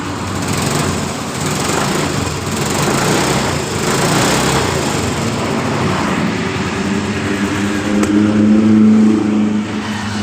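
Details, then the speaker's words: Yamaha Mio M3 scooter, previously hard to start and dying on throttle, started after the oil-fouled spark plug was replaced; catches and revs up and down cleanly with no misses, running normally. "jadi motor hidup dengan normal dengan permasalahan di bagian dari businya"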